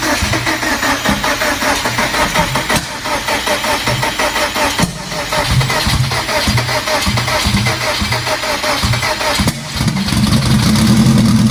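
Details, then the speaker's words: Scarlet, four-cylinder, first start after sequential transmission install, sat about two months in cold weather: lumpy uneven idle with a repeating missed beat; one cylinder dead, owner suspects injectors rusted shut from sitting. "well that's not good it's running uh it's not running all four cylinders and i have a feeling i know why i hope i'm wrong but i have a feeling my injectors are rusted shut again from sitting"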